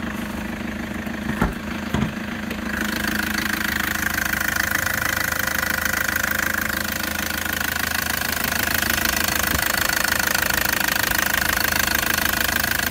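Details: 2014 Toyota Prado 1KD-FTV diesel with Denso injectors at 131,000 km, idling: steady, sharp ticking knock about two and a half per second over the diesel clatter; premature injector failure suspected, not confirmed.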